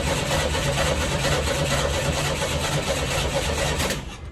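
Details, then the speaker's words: 1986 Chevy S10 Blazer, 4-cylinder, 4-speed, 2WD, first start attempt: the starter churns at about three compression beats a second for four seconds and it never catches. The fuel pump is heard, no leaks are found, and there is one gallon in the tank, possibly too little. "Come on, Bubba. That's weird. I can hear the fuel pump going. It's got a gallon. I wonder if a gallon is simply not enough."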